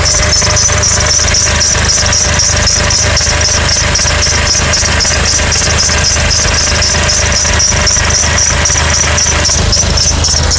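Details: 2006 Honda Accord engine at idle: a high, thin, steady squeal with a fast pulsing flutter and no change in pitch; source not yet identified.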